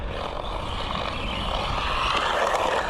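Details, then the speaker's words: Mojave Grom 223s RC truck with rear right dogbone driveshaft pins sheared, running on three-wheel drive: small electric whir with a gritty, rasping grind that rises and falls with speed; driveshaft grinding suspected, not confirmed. "You can almost hear the drive shaft grinding."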